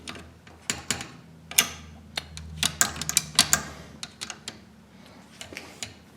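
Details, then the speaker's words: Pontiac ratcheting slap shifter, rebuilt: quick uneven metallic clicks through the gates; detents soft because slightly bent shift rod sits a hair off the ratchet notches, not in sync. "first there's a couple notches in here that make it ratchet. And the rod has to be in perfect sync on the other side with them. And there's a little bit of bend to it."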